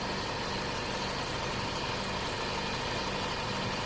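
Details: 2008 Isuzu D-Max 4JK1 diesel idling with a faint, repeating chirp at the front of the engine, from a worn idler pulley bearing that gets replaced.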